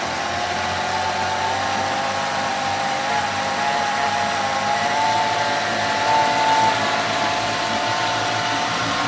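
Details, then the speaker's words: Honda BF25 four-stroke outboard after submersion, warming up during flush: steady even speed with light whine, no stumbling or misfires; run long to evaporate moisture. "мотор запустился даём прогреться проверяем работу"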